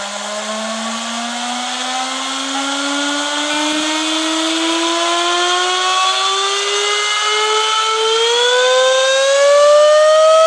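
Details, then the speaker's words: First stage of a multi-stage Tesla turbine kit, run alone with the second stage disconnected and fed by a standard air compressor: clean whine climbs smoothly from a low hum to a high pitch over ten seconds, no rubbing or wobble. Normal spin-up. "Okay, now that you've seen the parts, I will power up the first turbine on its own. I'll disconnect this one just to let you have a listen to a single turbine. I'm just using a standard compressor."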